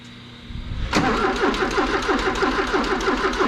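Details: 1984 Porsche 944 sitting a couple of years, power confirmed at the coil, timing belt intact: starter cranks about three beats a second, uneven and slightly slowing as battery gets low; engine never catches, crank no-start.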